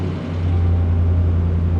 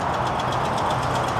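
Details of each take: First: Ram Longhorn V8 after exhaust leak repair with new BD exhaust manifolds and Rough Country cat-back exhaust, push-button start; deep steady exhaust rumble settling after startup, no rattles, ticks or leaks: normal exhaust note at idle. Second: Ram Longhorn Hemi V8 idling with a sharp, regular tick about eight times a second: exhaust leak at the manifold from a broken manifold stud, before new manifolds are fitted.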